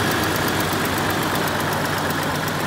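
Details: 1996 Jeep Cherokee XJ six-cylinder after replacing spark plugs, wires, rotor and distributor cap: starts right up into a steady even idle, smooth low rumble with light tappety ticking, no misses.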